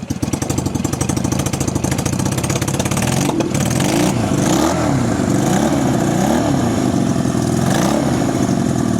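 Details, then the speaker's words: 1965 Honda CB160 161cc air-cooled parallel-twin four-stroke, being revived: uneven, lumpy idle that hunts and surges, stalls with a little throttle, feels like it runs on one cylinder. Owner suspects it is running rich or fuel-starved; one cylinder later shows weak compression. "See, just doesn't want to idle quite right yet."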